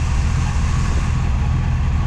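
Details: 1954 Chevy Cabover with small-block V8 and 700R4, warm engine, Holley Demon carb swapped in from a 1954 Chevy Handyman wagon, spacer removed; deep steady idle with slight unevenness, fresh carb likely needs idle adjustment, cause not confirmed.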